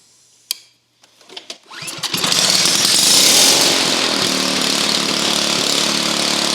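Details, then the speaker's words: Honda EU2000i inverter generator started with the plugged muffler removed, after it had been spitting and sputtering: catches after a few pulls, settles into smooth, even high-pitched run with no spitting or popping. "so it ain't spitting and spluttering like it was earlier because the muffin the muffin is plugged"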